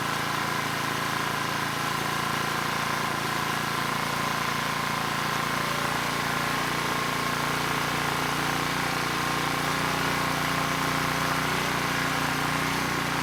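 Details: ETQ 2700 W brushless-powerhead generator after governor calibration: steady even drone, constant pitch, no hunting or surging; started slow, governor spring screw driven halfway in to reach 62 Hz, now running normally.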